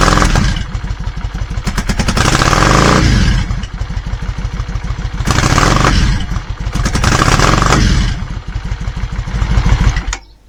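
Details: Yamaha Virago 535 V-twin, cold, no choke: lumpy uneven thumping that surges in blips and falls back, misfiring as soon as revved instead of revving cleanly; carburettor fault suspected, not confirmed.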